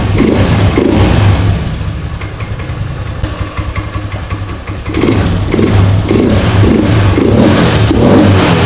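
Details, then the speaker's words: Honda Scoopy FI automatic scooter that stalled when the throttle was released, running with its air filter element removed: after air adjustment the single-cylinder engine blips up and settles to an even idle without stalling; idle raised slightly, running properly. "Nah di sini sudah bisa langsam kita naikkan sedikit"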